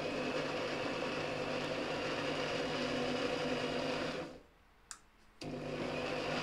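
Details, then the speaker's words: Parkside PMB 1100 A1 metal band saw (Lidl), running with no load: steady even mid-pitched whirr, briefly cuts off and restarts cleanly, no knocks or scraping; normal running. "La rotazione alla velocità numero 1 è davvero molto lenta. Proviamo col secondo scatto."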